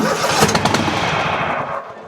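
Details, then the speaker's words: Toro Titan MX5400 Kohler Confidant 23 hp V-twin with the good cylinder's plug pulled: fires and putters about a second on the other cylinder, then quits; failing ignition coil gives weak, intermittent spark, causing bogging under load. "it stays running for a second. And now it won't do anything at all. That's because we're not getting a good or a consistent spark over here in order to ignite this side."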